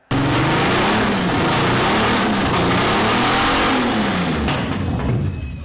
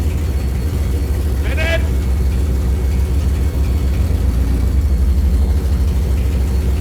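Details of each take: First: Aston Martin V12 in a Fox Body Mustang, earlier run: it revs with an uneven, lumpy note, sounding like a V9 and a half. Cylinders 11 and 12 never got hot at the headers, so two cylinders were not firing. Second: Aston Martin V12-swapped Fox Body Mustang, now running on all 12 cylinders after a computer fix: deep, even V12 rumble holding steady with smooth revs and no misses or knocks, sounding far better than before; normal running.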